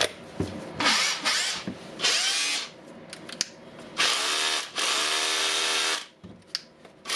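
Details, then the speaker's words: Makita DHR202 hammer drill on a fully charged battery after armature replacement and brush refit: short bursts of high, even motor whine rising and falling with the trigger, no grinding or stutter. Runs healthy; repaired. "Sounds nice, looks nice, so it's repaired."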